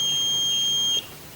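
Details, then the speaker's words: Polytron TV that won't start with blinking LED: analog multimeter in buzzer mode gives a steady high beep about a second across horizontal output transistor, confirming it is shorted. "Namun, alat itu berbunyi bip. Ini berarti saya dapat memastikan bahwa transistor horizontal mengalami korsleting atau rusak."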